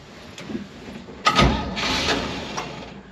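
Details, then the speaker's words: 1949 Chevrolet Advance Design truck, dormant 30 years, jumper wires to the ballast resistor, out of gear. Brief quiet crank, then a sharp burst as the engine fires; brother thought the motor was locked up, but it starts normally. "Boom. It fired. So, by the way, my brother was telling me he thought this motor was locked up."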